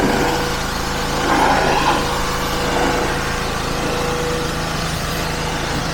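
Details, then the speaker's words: Petrol pressure washer after replacing the seized pump with a new FridayParts pump, spraying a car with a leaking hose fitting: small engine holds high revs with steady drone and spray hiss, no misfires or knocking; normal running under load. "Other than the water leaks, this is really good. That was actually really hard to film with one hand. The power in that lance is something else."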